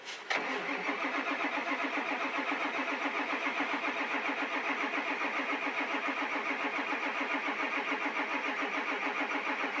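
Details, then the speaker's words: 1999 Ford Super Duty 7.3 diesel with a 1994.5 HPOP and check valves, about 30°F, fresh stiff oil, jumped from another truck: slow, labored cranking at two to three strokes per second with no firing; owner suspects weak starter and batteries. "so I think my starter and my batteries are pretty weak that's why I have my other truck hooked up to it it's uh it's got it's got new batteries in it but you can hear this starter it's pretty slow"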